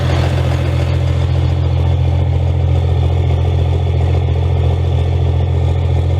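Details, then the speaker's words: Second-gen Cummins diesel in a 3500 dually pickup, startup (not a cold start) after a year at the shop for transmission repair: deep steady rumble about three beats per second, no knocks or misses, running healthy. "i won't go ahead fire it up sure is good to hear that again"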